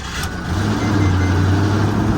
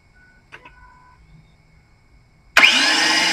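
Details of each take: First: Ford F-150 starting after a new starter was installed (fuel pump also failed): brief crank, then the engine catches and settles into a steady, even idle; the replacement starter works normally. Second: Ford F150 with a failed starter and fuel pump: two bursts of high, steady whirring with no engine turnover, then winding down; starter spins free, gear suspected not engaging the flywheel, unconfirmed.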